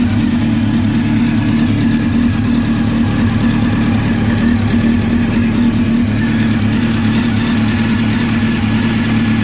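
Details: Honda CBR600 FX motorcycle engine running steadily near idle with a fast light ticking over the exhaust note; cause unknown, owner seeking a fix.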